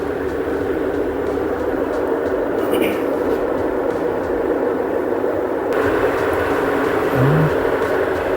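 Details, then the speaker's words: Samsung top-load washer after repair for loud spin noise: at maximum spin of 1,000 rpm, a steady, even whir with no knocking, banging or scraping; drum running smooth and balanced. "Now it is maximum RPM. This 1,000 RPM having this machine. Now still not making any abnormal noise."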